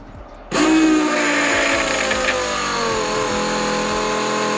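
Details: Newly installed replacement fuel pump priming for a Holley Super Sniper on a stock-block 347 V8 with Vortech V-1 supercharger, after tank topped up five gallons: sudden steady electric hum with clean whine that settles and holds even; primes smoothly, healthy.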